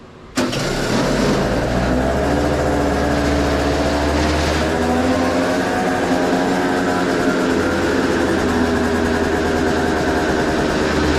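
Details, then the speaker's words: 2003 Derbi Atlantis after a Trail Tech Vapor and custom handlebar install: the engine catches at once and holds a fast, steady buzzing idle well above normal. It suddenly idled up for unknown reasons and needs tuning. "now I need to do some tuning on this bike I don't know why it idled up all of a sudden but let's try and Crank It"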